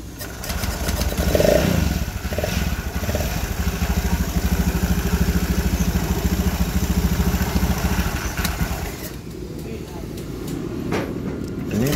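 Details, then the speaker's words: Honda Scoopy FI scooter brought in running: steady low hum from the middle of the engine under the quick firing beat; worn crankshaft main bearing humming, engine to be disassembled. "kondisi si di awalnya ini seperti suara pada bagian tengah ya atau suara lahar kroas"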